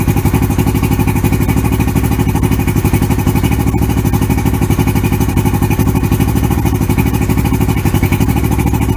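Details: 1994 Suzuki 115 oil-injected two-stroke outboard, water on, with more Sea Foam added to a full tank: an even, steady low putter at about four beats a second with no misses or stumbles; idling smoothly and cleanly.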